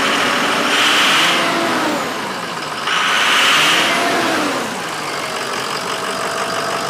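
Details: Ford Powerstroke diesel after replacing a torn boost tube boot: rumbling idle, then two clean revs rise and fall with no hiss or whistle; boost side sounds sealed.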